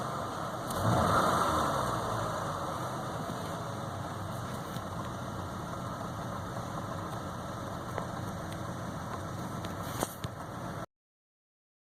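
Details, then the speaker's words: 2010 Chevy Malibu 2.4 Ecotec DOHC that stalled with cam actuator codes. A cylinder 1 misfire code appeared on a test drive and persisted after swapping coils. Idle stumbles with an uneven, lumpy beat, a dead miss on cylinder 1. "I took it a little small test drive and you've got a cylinder number one misfire detected"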